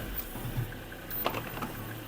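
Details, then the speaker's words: Mercedes-Benz on test drive: low driving drone with a sharp clunk from the drivetrain, vibration from the prop shaft; worn transfer case, replaced. "That clunking sound that you can hear. As you can see, this is where our port is coming from. It's the vibration that's coming from the prop shaft."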